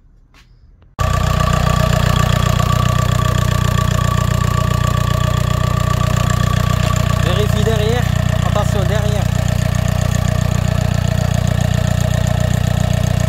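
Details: VAG TDI diesel (Golf/Seat/Audi), started after replacing the valve cover with the correct torque sequence and refitting the EGR valve and hoses. Starts at once into a steady, even idle clatter. No leak; problem fixed.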